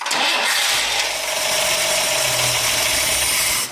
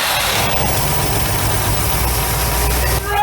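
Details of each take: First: 1962 AMC Rambler 196 cu in straight-six with a rebuilt Carter AS one-barrel carburetor, started cold with the choke not hooked up: it catches quickly and holds a fast, steady cold idle with an airy hiss and no misses or knocks. Healthy. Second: 1962 AMC Rambler, 196 cu in straight 6, abandoned 47 years, Carter AS 1-barrel carburetor, before repair: rough lumpy idle a few seconds, stumbles and dies when throttle added.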